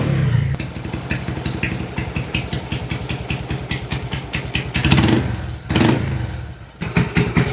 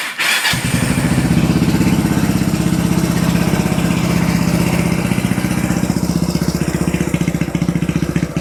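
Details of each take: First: Kawasaki Binter Merzy carbureted single after fitting a pilot jet two sizes smaller: starts, a few throttle blips, idle still high but settles fairly fast to a steady even idle instead of lingering; exhaust smoke not too thick. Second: Ya, tadi teman-teman sudah mendengarkan ya, ketika pertama sekali motor ini dinyalakan, itu RPM-nya tuh terdengar tinggi, brrrr gitu ya. Lalu setelah beberapa detik, dia baru mulai turun dan mulai stabil di RPM yang idle, ya artinya di posisi langsam.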